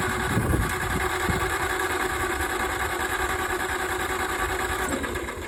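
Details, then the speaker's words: 1956 John Deere 70 diesel's pony engine cranking, after cleaning the points: steady churn around three beats a second, odd sputters, never catches; cracked distributor rotor found, new parts needed. "This little piece of plastic right here in my fingers is what's keeping me from starting up my pony engine."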